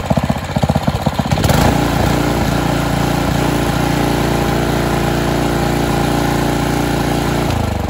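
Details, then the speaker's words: Karcher G2400 HB pressure washer, Briggs OHV engine, after carb rebuild, new fuel lines, spark plug, oil and air filter, just started: a few uneven firings then a steady even idle; running well. "so it seems like it's running pretty good"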